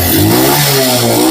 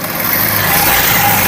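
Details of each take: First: CD70-type motorcycle after timing chain replacement for chain noise: short throttle blip with a clean rising note, no chain slap or clatter; normal engine rev, problem fixed. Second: Honda CD70-type single-cylinder motorcycle at idle: busy metallic rattle and clatter over the exhaust beat from a worn timing chain, still noisy despite chain replacement two months earlier.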